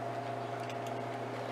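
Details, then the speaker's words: Vending machine that won't cool, compressor switched on via the controller's relay test mode (button 4 pressed twice): steady low hum with a faint constant tone, no knocking or rattling; compressor running normally, fault traced to a bad temperature sensor. "so you press button 4 twice now the compressors on and we can hear it"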